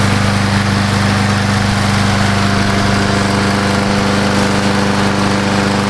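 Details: Old Murray Dynamark 22 mower, 3.75hp Briggs & Stratton, revived after seven years stored, sharpened blade, mowing thick grass: steady, even drone holding pitch with no bogging or misfire; normal running under load.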